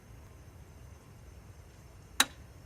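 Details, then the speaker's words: Residential gas meter with the furnace running: a loud, sharp click every 5–8 seconds (about 6 on average), with the needle jolting on each click; a technician later fixed it. "every six seconds we get a big click like that maybe every five seconds take a look at the meter itself you can sort of see that needle jolt a little bit every time it clicks"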